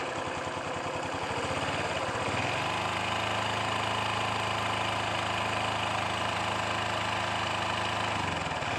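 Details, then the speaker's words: 2011 Honda Wave 110i, brand new, only 1,000 km, ridden hard before break-in: engine catches after cranking and idles with hollow, uneven knock about three times a second; scored piston slapping, since replaced. "วิ่งได้1,000ครับแล้วนะครับมีเสียงตังในเครื่องยนต์ดังๆเดี๋ยวผมจะเอาคิดเสียงให้ดูแล้วกันน่ะ"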